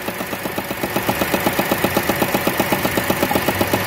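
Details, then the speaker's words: 2017 Renault Sandero three-cylinder at idle: fast even rattle, about four taps a second, over the engine; caused by a large bolt left loose on the air filter box, and the noise stops when the box is held. "Tá ouvindo o barulho? Será que é motor? Não. Olha o que fizeram. Galera, olha o que fizeram aqui, ó. Na caixa de filtro de ar, cara."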